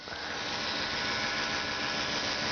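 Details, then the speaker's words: Carter electric fuel pump in an Opel GT, ignition on, heard from under the car: a steady, smooth high-pitched whirr with no surging, grinding or clacking; pump running normally. "if you can hear, it just makes a nice whirring sound, like a little electric motor should sound, not clickety-clack like pool balls."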